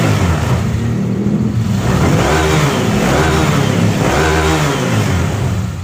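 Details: Honda Click 150i single-cylinder scooter after engine rebuild (new connecting rod kit, piston, rings, pin, head gasket, water-pipe O-rings; original crank bearings): spins up cleanly through several smooth revs and settles back, no knocks, rattles or misfires; healthy.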